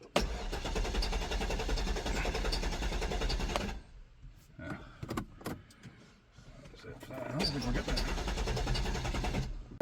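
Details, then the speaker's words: Low-mileage Cadillac STS after sitting in the woods a year: starter cranks the engine evenly for several seconds but it never fires; fuel very low with car tilted forward, possibly not picking up fuel. "all right well she cranks over huh Cadillacs no it always started it ran a little rough but it always started"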